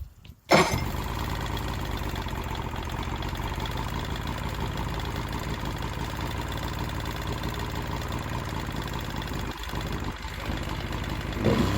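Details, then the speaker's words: Johnson 70hp three-cylinder two-stroke outboard, unknown history, after carb cleaning, new plugs and fuel lines, run on water: catches after brief crank, steady even idle, no misses or knocks, water pumping from telltale; normal idle. "Okay, so it's pumping water nicely out the telltale. Got ourselves a runner."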